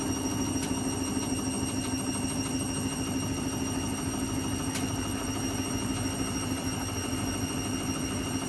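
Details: Washing machine spin cycle: constant loud drone with a thin high whine and a couple of sharp ticks; noisy spin, cause not evident.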